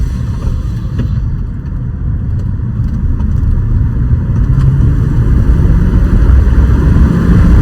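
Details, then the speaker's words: 2005 BMW 545i (E60) N62 V8 after oil change, driving at about 3500 RPM, heard from inside the cabin: smooth pull with even deep exhaust note, no knocks or rattles; engine sounds healthy. "So, 3500 RPM. Thing sounds so good. It's crazy how quiet it is from inside the cabin."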